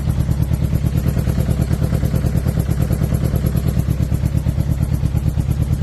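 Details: 2006 Suzuki GSX-R 600 four-cylinder revving with an uneven, lumpy exhaust beat and irregular dropouts in the pulses; owner unsure whether it is a misfire or a dead cylinder.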